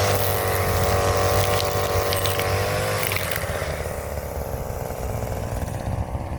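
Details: Brand-new Hyper Tough 2-cycle 18-inch straight-shaft gas string trimmer (stated as 22cc and as 26cc) on its first start: a strong, steady buzz at high speed that settles lower as the throttle eases, no stumbling. Normal running.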